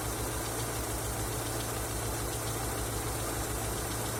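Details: Engine knocking after an oil change: steady idle with a dull, muffled knocking under the hum; source of the knock cannot be pinned down by ear.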